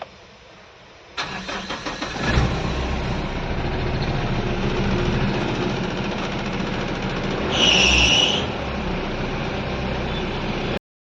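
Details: Mahindra Bolero diesel after injector control valve parts replaced, earlier rail pressure only 70-80 bar from a leaking-back injector: short crank, catches in about a second, steady even idle with one brief rev blip; now starts normally.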